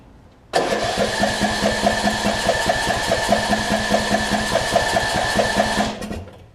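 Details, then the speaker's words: 2007 Craftsman LT2000 riding mower, Briggs & Stratton engine, sat a while and backfiring when starting: steady cranking of about two and a half turns a second that never catches, fuel spraying but apparently no spark; plug suspected. "So it's spraying something up there. It doesn't seem like it's getting any spark though."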